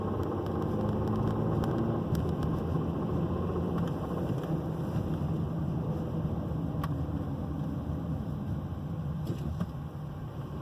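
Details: 2009 Volvo XC70 3.2L on 10w40 synthetic: loud rough knock, three or four beats a second, only under load in drive or reverse, louder when warm, less distinct in neutral; water pump, idler, tensioner and belt already replaced.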